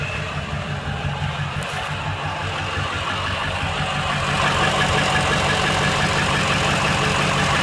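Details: 2005 Ford F-350: steady engine run with a fairly regular rattle of about three per second; owner says it happens when the engine turns off. Cause not yet found.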